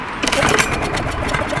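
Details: Trash-picked Craftsman lawn mower with fresh fuel added: short rattling pull-start bursts with a couple of weak pops, no steady running; cranks but won't start, cause not confirmed.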